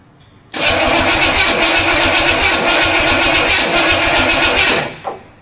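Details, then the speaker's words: Studebaker first start attempt, no transmission fluid and timing unknown: starter spins the engine steadily about four turns a second for four seconds without catching, because an ignition connection was left unhooked. "Well, that wasn't successful. It doesn't even sound like it wants to go."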